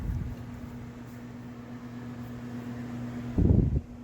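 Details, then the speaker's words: Dometic NXT 15000 BTU RV air conditioner on a 1500 W inverter and lithium battery, without Easy Start 364: fan hums steadily, then compressor groans, fails to start and faults the inverter; fan only. "so as you can see was running the fan just fine but as soon as that compressor went to kick in without the 360 for easy start the the fan just completely stopped and it was just trying to start the compressor but could not do it and sent the inverter into a fault"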